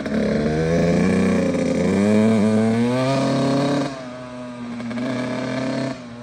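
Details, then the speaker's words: Kawasaki KX85 two-stroke, first kick after replacing water pump and case seals and gaskets to cure a leak, still warming up. Crisp ringing revs, holds, then drops back to a steady idle with no misses; sounds different than before. Normal running. "Beautiful. First kick. Nice. Gotta let it warm up for a second and then we can give it a shot. Sounds way different now."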